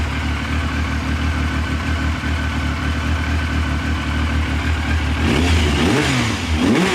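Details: 1999 Triumph Sprint ST 955 during check-up and engine troubleshooting: steady idle picking up cleanly into a few quick revs and settling again, running evenly without stumbling.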